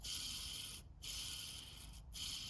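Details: Kia Sorento starter motor, bench hand spin of the bottom bearing: a hissy, rasping rush that fades twice as it slows; the bearing is dry and gets pulled and replaced with a new one.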